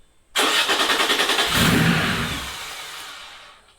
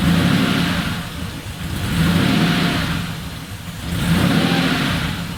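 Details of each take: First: Air-cooled Porsche 911 3.0SC newly converted to EFI and turbo with an original 3.2 throttle body, first crank: catches with rapid firing pulses, revs briefly, then sags and dies within three seconds; owner suspects the idle valve; stalls after start. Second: Air-cooled Porsche 911 3.0SC converted to EFI and turbo, original 3.2 throttle body, idle air bleed screw opened one turn: settles to steady idle, then even repeated blips returning cleanly to idle; runs normally.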